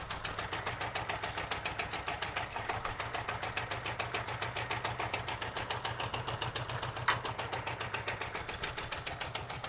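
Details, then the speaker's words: 1978 Honda GoldWing GL1000 at its first start in years, idling on its own: a fast, slightly uneven, ragged putter after long storage. Carbs will need work; cause not confirmed. "almost sounds like it's got a little bit of a now the carbs are going to need some okay"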